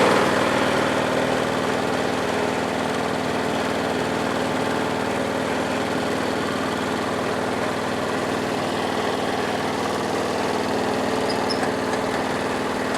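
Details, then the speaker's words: Lawn tractor in gear with both wheels on the ground: steady small-engine drone with a faint rattle about four times a second, absent when jacked up; owner suspects the transmission, possibly loose drive hardware. "you can put your hand here and just stop this wheel and that one will go then if you put your hand on this wheel that will go but if both wheels are on the ground it'll go and I hear the sound slightly"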